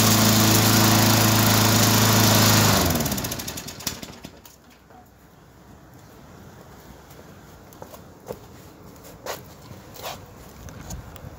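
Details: Briggs & Stratton 3.5 hp engine, warm. Runs steady and even, then is switched off and coasts down to quiet clicks; normal running.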